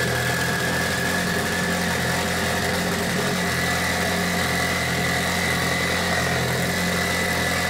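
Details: Mitsubishi Evo 8 4G63T turbo engine on the lift, at first start after a rebuild. A steady, even but noticeably fast idle with a constant hum and no misfire. The cause was an air leak from a hose that wasn't hooked up.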